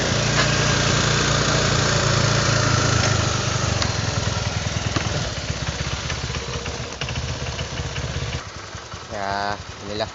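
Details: Honda Vario 125 scooter that would start but not rev, injector suspected and cleaned: small single-cylinder idling with an even, steady low putter, no stumbling or dying; running cleanly.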